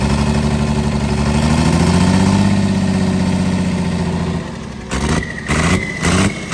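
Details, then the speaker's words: Cummins diesel burnout truck idling rough with uneven lumpy beat and brief rev blip; one cylinder misfiring, temps roughly similar; dead cylinder traced to broken rocker bridge. "well I can tell you that cylinder is not doing what it's supposed to 100 they have a little Miss tour and I'm wondering if that's why"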